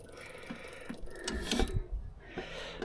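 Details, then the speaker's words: Diesel generator, oil slightly low on a steep slant, coolant good, before starting: scattered light clicks and ticks over quiet background as glow plugs warm up; normal glow plug preheat clicking. "Use our glow plugs. Everything sounds like it's clicking away. Glow plugs are warming up."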